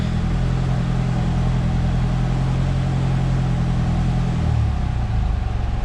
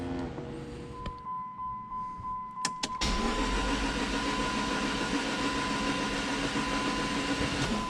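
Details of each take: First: Dodge Neon SRT4 first start, foot on the gas: heavy deep rumble, uneven and shifting, not settling; codes read engine temperature circuit high, O2 control circuit, O2 sensor and idle control; cause unconfirmed. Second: Dodge Neon SRT4 first start prep: cranked with relay out, spark plugs out and coil pack disconnected to build oil pressure; quick even starter churn with no firing.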